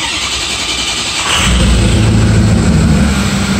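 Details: 2005 truck with an intermittent no-start after a remote start install (remote start since removed), fully cold start at 73 degrees: brief crank, then it catches at once into an even, steady idle. A healthy cold start.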